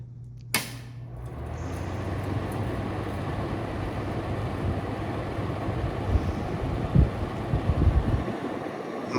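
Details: Apartment wall heater fan after cleaning and WD-40 lubrication, following a noise complaint: a steady, even low hum with no scraping or rattling; quieter than before.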